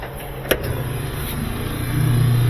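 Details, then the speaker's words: Old washer: a click, then steady low motor hum that swells but never drives the drum; motor runs with nothing turning inside, failed motor coupling. "You hear the motor running, nothing going on inside. Yep, that's a motor coupling."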